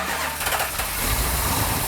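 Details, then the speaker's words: 1970 Plymouth Cuda 440-6 with a Comp Cams Mutha Thumper cam, first start of the freshly built engine on a remote starter in neutral; it catches straight away into a deep, throbbing idle with no misses or knocks. Normal start. "hey no way no way can't be that easy right no wow wow that started right up nice"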